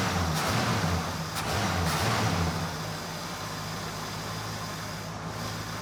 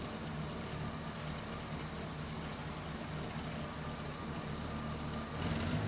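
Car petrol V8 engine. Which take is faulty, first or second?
second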